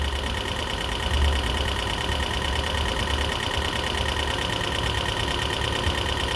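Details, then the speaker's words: 2012 Toyota Prius V engine at idle after head gasket rebuild and computer panel replacement: fast light ticking, about three a second, over steady idle hum; lifters suspected still adjusting, expected to clear up, not confirmed. "not a good noise, but it's supposed to clear up, burn out."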